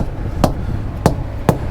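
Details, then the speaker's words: Thump test on GP Transco trailer tires, which have air inflator hoses that auto-inflate to the right PSI while driving: three short, firm, dull hammer thumps with no hollow ring. The tires sound properly inflated. "These tires automatically inflate to the right PSI as you're driving. Checking those. Sounds good."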